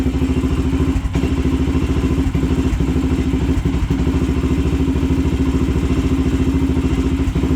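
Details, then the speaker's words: Older Honda 400EX sport quad: steady thumping idle about three beats a second with an occasional skipped or weak beat; slight miss, owner suspects it may be loading up on fuel. "Seems like it has like a little bit of a miss or something. Might just be loading up on fuel. I'm not quite sure."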